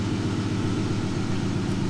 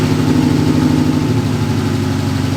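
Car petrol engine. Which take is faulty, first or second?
first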